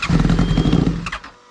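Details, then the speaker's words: One of a Honda Hornet and Yamaha MT-07 pair; fuel pump very hot, riders suspect fuel ran out, a kinked hose or wire, low battery: engine runs choppy for a second then falls away, nearly dies, won't accelerate; bogging, seems to be flooding. "Ei que aconteceu aí que não deu para dar acelerada agora parece tá afogando mano"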